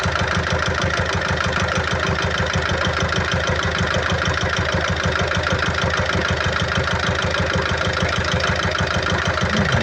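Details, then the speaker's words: 2012 Peugeot Partner B9 1.6 HDi 75 hp diesel, about 216,000 miles, with a heavy running oil leak and smoke from the oil cap. Idle shows a steady knock of about two beats per second over the clatter; the knock later resolved after topping the oil up to full. "Yeah, yeah. The engine doesn't sound too healthy on there."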